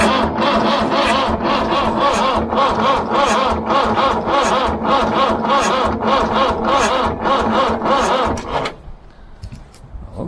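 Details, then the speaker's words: David Brown 990 tractor bought as a non-runner, not seized, getting fuel: starter turns the engine slowly, steady but sluggish, and it never fires; owner checks for bad connections by feeling for hot spots and finds none. "it is actually turning over quite slowly so i'll just check to see if there's any bad connections"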